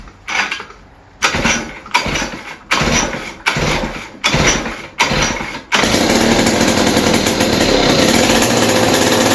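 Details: West Bend 580 two-stroke engine after cleaning the carburetor and reed valves, new gaskets, no choke, mix screw 2 turns out: short coughing bursts, then steady even buzzing idle with no misses.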